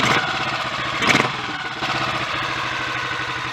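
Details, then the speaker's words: Royal Enfield Bullet 500 Electra X (AVL), wet-sumped, idle screw raised, pilot screw may need adjusting: single cylinder ticking over with even, lively thump and one brief blip; normal idle. "I don't like to have them ticking over too slow."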